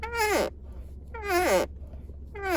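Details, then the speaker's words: Ford Focus MK4 central armrest console lid closed with only the first lid section open: three short squeaks, each sliding down in pitch, louder at times; the owner cannot tell which clip makes it; console lid squeak. "我现在发觉到一件事情，有异音。OK，想问一下各位网友各位车友，有没有遇到这个问题？就是当我第一片我只开第一片，我不是开2片的情况下，我把这个关起来，我这拉起来，就有这个声音。也不知道是哪个卡榫发出来的，你知道？"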